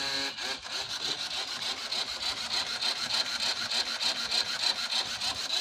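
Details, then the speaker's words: 2014 Nissan Versa with P0705/P0706 codes and flickering lights: rapid high-pitched rasping chatter from the front, about three to four beats a second, when brake pressed; traced to the light motor, harness issue suspected. "the noise coming from the front this is when you step in on the brake step on it again"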